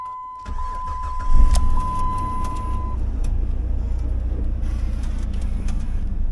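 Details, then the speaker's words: Jeep after the SKIM immobilizer module was deleted and disconnected at the dash: short crank catches at once and settles into a steady, even idle under a brief warning chime; a normal start. "all right so we got it to start that's a plus we'll take it for a test drive"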